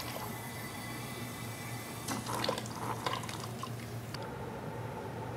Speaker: so let's just quickly take a look at what a properly functioning overflow looks like when the valve is too restricted and two wide open